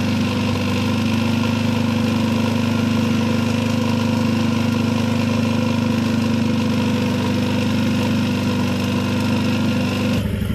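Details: Yamaha Jupiter MX after an engine overhaul (new cylinder block set, cam chain, conrod, crank bearings, clutch, and water pump seal and bearing), at idle: steady and even with a smooth hum and no knocks, ticks or rattles; coolant is stable and the exhaust no longer smokes.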